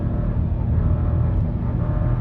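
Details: 2023 Nissan Rogue base model (225 lb-ft torque) accelerating with laggy throttle response: deep, coarse droning engine note holding a flat pitch as the car pulls, a harsh, unrefined, unpleasant moan under load.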